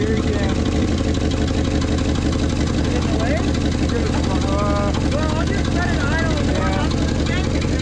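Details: Old Ford dump truck, sitting 20+ years since last run late 90s/early 2000s, running in the cold on a makeshift jerry-can fuel hose: low, stumbling, irregular idle with some chirping over it; rough idle.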